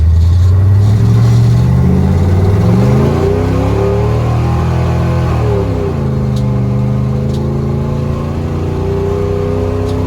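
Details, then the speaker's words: 1977 Dodge D200 360 V8 with new intake and rebuilt carb, no kickdown linkage, water neck leaking coolant; on a test drive the deep burble swells smoothly on a throttle blip and pulls cleanly back down, feeling faster than before: healthy response. "I think it's faster than it was before"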